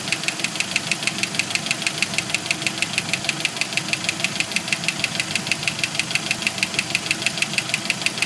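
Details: 1991 Jeep Wrangler YJ 2.5L four-cylinder: sharp, regular metallic knock about three times a second at steady idle, stopping briefly then gradually returning; first thought a loose rocker arm, owner now suspects broken piston skirt and failed lifters on cylinders 2 and 4.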